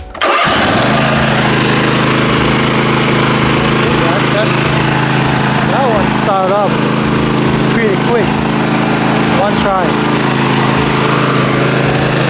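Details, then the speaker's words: Lawnmower with a very dead battery jump-started using an ACMOUNT jump starter pack: brief crank, engine catches right away and settles into a steady even idle; normal start, pack dropped one percent. "the batter is really dead on this one so that one started pretty good and that one took out one percent"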